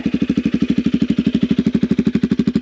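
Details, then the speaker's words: Motorbike just started with a newly fitted muffler: crisp, even exhaust pops about eleven a second, steady and regular; healthy idle and not too loud. "you can hear that, it's not too loud at all."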